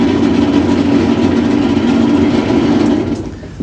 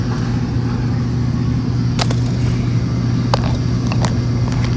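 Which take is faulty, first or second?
first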